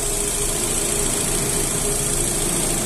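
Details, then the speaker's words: 2009 Astra engine idling smoothly after replacing a faulty fourth injector with a new Bosch one (it was spraying wrong); no shaking, only slight normal tremor, steady low hum with faint whine; fuel reading now 81% ethanol; pinging complaint resolved, normal idle. "vendo o motor nem tremer nem tremer ele não treme"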